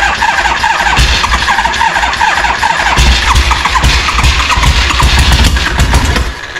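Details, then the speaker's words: 1974 Harley-Davidson Ironhead chopper unrun for 15+ years, with fresh fuel and oil and no exhaust pipe; fans are in the background. Rough, uneven cranking with pops and sputters as it blasts out gunk; a stumbling start after long storage. "oh she's blasting all sorts of stuff out foreign"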